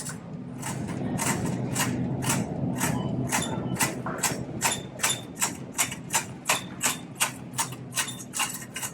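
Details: Shopping cart rolling: loud, rhythmic clunk two or three times a second that keeps pace with the cart. A wheel thumps on each turn.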